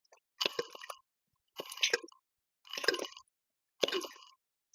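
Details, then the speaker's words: Vacuubrand RC6 rotary vane vacuum pump after full rebuild, turned by hand via the coupling: wet gurgling about once a second with soft valve pops, no binding; normal oil gurgling and valve pops. "It's making all the right noises. You can hear the gurgling, and if I shut up talking for a minute, you'll be able to hear the valves pop."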